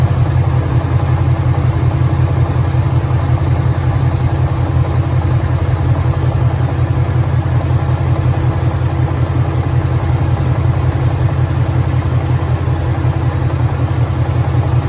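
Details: 2013 Ford Mustang GT 5.0 Coyote V8, manual, 81,500 miles, idling: an even rumble with a steady low knocking pulse about three a second. Suspected rod knock, worse after driving; the car also stalls after long drives.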